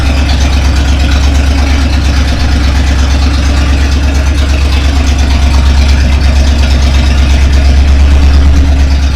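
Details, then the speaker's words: Rebuilt Chevy 283 V8 just installed in a 1965 Nova Wagon, one exhaust pipe would not fit and is disconnected: loud raw rumbling with harsh open bark at idle, one bank uncorked; exhaust leak needing an exhaust shop. "yeah that sounds terrible one side uncorked anyway well it's up and running at least we just got to take it to the exhaust shop they'll fix it up for me"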